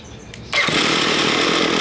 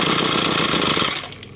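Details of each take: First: Ryobi ES30 two-stroke string trimmer after carburetor cleaning, main fuel screw enriched another half turn from two turns out: high buzzy note wavers slightly but holds speed without bogging or cutting out; running about right. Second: Ryobi ES30 two-stroke string trimmer after carburetor cleaning, idle screw adjusted: raspy buzz runs about a second then sags and fades; idle set too low, nearly stalls.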